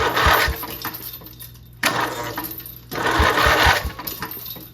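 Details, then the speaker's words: 12.5 hp flat-twin Briggs & Stratton industrial engine stored 25 years, starter held by one bolt, engine unmounted, starter fed directly from charger: three bursts of fast whirring and clatter as engine spins freely and shakes violently. "very violent. Well, now we need to mount it. Then it should work."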